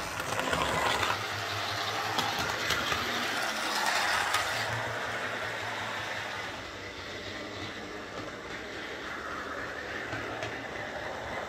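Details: Old Tri-ang R52 Jinty 0-6-0 tank model locomotive lapping layout after repair (motor insulating sleeve replaced, cleaned and oiled; previously dead): soft even motor hum, light wheel clicks about four a second, no stumbles; running well.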